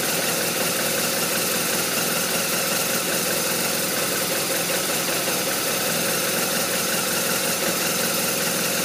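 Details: BMW R1200RT boxer twin idling with an uneven, loping beat and irregular firing pulses; rough idle, cause not pinned down.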